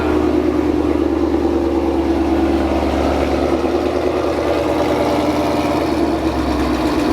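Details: 2016 Mustang GT salvage build with VMP Gen 3R supercharger, AC deleted, first start after the build: loud steady V8 idle with constant pulse and supercharger hum, no knocks or misses; running healthy.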